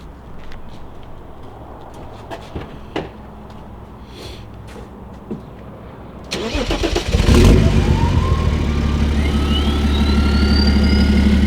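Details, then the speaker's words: Diesel BMW E90 with exhaust mid-section missing, downpipe open to nothing, effectively straight pipe: cranks, catches and settles into a loud, raspy, booming idle, turbo whistle climbing on the blip. "so it's just down pipe to nothing and then the exhaust is back there so it's pretty much straight pipe right now let's hear it"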